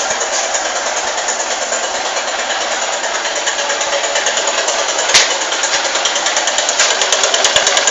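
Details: Honda Titan 150 cc motorcycle at start-up: busy clattering idle with a quick, uneven tick about three per second; cause unknown.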